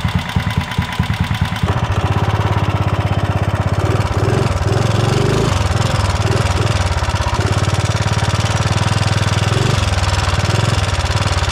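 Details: 420cc big-block single-cylinder swapped into a Mega Moto minibike, run after aluminum debris was cleaned and the oil changed, feeling short on top-end power: even thump with a light rapid ticking tracking engine speed; valve train ticking from excessive valve lash.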